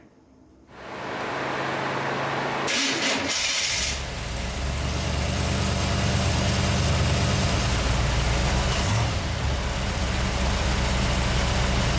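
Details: 1990 Camaro, small-block Chevy 350 with Vortec heads and Holley Sniper EFI, slow cranking when hot, tested with a temporary ground wire from block to battery: the starter labours slowly for seconds, then it fires and idles; slow cranking.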